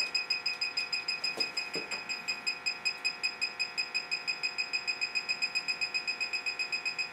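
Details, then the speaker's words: Bacharach Informant electronic detector checking a serviced Rheem furnace for natural gas leaks near the gas valve, probe moved about one inch per second: rapid steady ticking with shrill high beeps and flashing as it picks up something. "when it flashes like that and beeps means we have picked up something"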